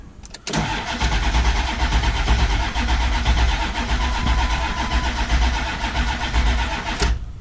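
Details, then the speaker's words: 7.3 diesel truck that ran out of fuel, new crank position sensor, builds oil pressure, main batteries drained from repeated cranking: starter spins steadily about seven seconds with no firing; long crank, no start, air in the fuel system. "I've it started so much my batteries are like not having life now check out this fancy new Switch I put in now call that my juice button power let's see still ain't starting"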